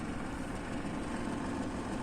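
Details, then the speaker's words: Daikin 8-ton ducted VRV indoor unit with no cooling: loud steady rushing blower roar with strained hum, airflow starved by a fully choked return air filter, risking motor burnout; runs quiet after filter cleaning. "इसका filter देखिए पूरा चौक है कैसे कलिंग करेगा इसके अंदर य आवाज हो रहा तो रिटर्न नहीं मिल रहा है तो इसके वजह से यह मोटर भी जल सकता है"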